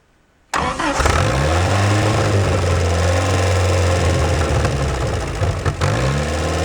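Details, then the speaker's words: 1949 Willys F134 four-cylinder, rigged 12-volt starter, long unrun, on choke: brief crank then catches and settles into even steady run, no knocks or odd noises, firing on all four, slight smoke; normal running. "All right, you just heard it run. It sounded pretty good. I didn't hear any funny noises. It looked like it was firing on all four, and I didn't see too much smoke."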